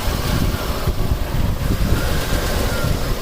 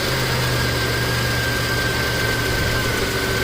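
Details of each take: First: 1989 Buick Reatta 3.8L at warm idle in closed loop, oxygen sensor reading lean and adding propane kills it: a loud, uneven idle with a ragged low rumble that rises and sags. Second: 1989 Buick Reatta 3.8L, previously stalling, hard starting and idling rough despite many new parts. Now it idles steadily and smoothly with no misses or surging, charging at 13.7 V with the A/C engaging; it sounds better.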